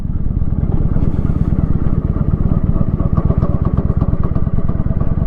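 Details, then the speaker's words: Motorcycle, still cold, ridden at low rpm on light throttle without using the clutch. Slow, even chugging thumps hold steady without stalling, if slightly jumpy. Normal low-rpm lugging. "I didn't use the clutch at all, as I normally would. Almost impossible, you know, to kill. Because it would just chug along, even if it's jumpy a little bit."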